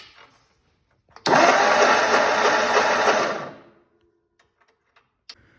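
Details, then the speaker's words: 1948 Ford 8N tractor after new wiring, battery and spark plug wires: starter turns the engine over for about two and a half seconds with an even churn, no knocks or grinding, timing seems right; normal cranking. "But I did get new spark plug wires, and we did get it to turn over, and it sounds good. The timing seems right."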